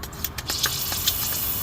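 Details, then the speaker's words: Nissan Z31 cooling system pressure-tested to about 15 psi: pump strokes then steady high hiss of coolant spraying at a hose clamp; first leak found, hose seated, clamp to be tightened or repositioned. "So you can see that's our first leak there. So we're gonna depressurize it by depressing this cap really quick, and then we'll see if that hose clamp is not tight enough or it needs to be moved around, and we'll check it again."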